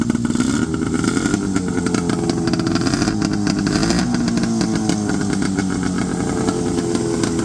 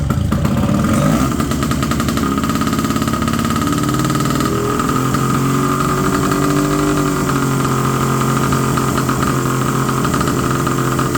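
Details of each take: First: 1970 Polaris Mustang two-stroke snowmobile after the too-tight throttle cables were loosened and the idle screw adjusted. A buzzy idle that wavers slightly in pitch but holds steady; idling properly. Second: 1970 Polaris Mustang snowmobile, two-stroke, first start after 10 years: steady fast buzz that never settles, idle too high.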